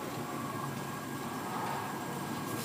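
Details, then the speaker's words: Tent heater ignition: clicking, then the burner lights with a steady, even roar and soft fan rush, no popping or sputtering; lit and running normally. "you're going to hear clicking and then you're going to hear the fire up you'll actually hear it fire up so turn it on and listen there it is it just fired"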